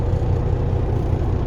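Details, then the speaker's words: 2006 Peterbilt 379, CAT C15 MXS 650hp, after external wiring harness replacement for a miss/shake at idle, cold start: deep steady diesel idle, even low thrum, no stumble or shake felt; normal idle, shake usually occurs warm. "i don't have my shakometer 5000 hooked up but i don't feel it in my butt right now so that's a good thing"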